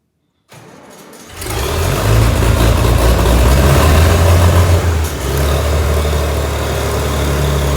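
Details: Tractor (806) that stalled on rough ground as if out of fuel, with debris in the sediment bowl covering the tank fuel inlet: it cranks briefly, catches and holds a steady, even low thump around 210 a minute.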